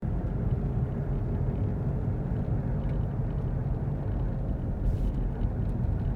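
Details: Worn hub bearing heard from a tyre while driving, recorded from the passenger side: a steady deep rumble rolling under road noise, heard as a droning growl and rumble (gogogo, rururu, won-won, gorogoro).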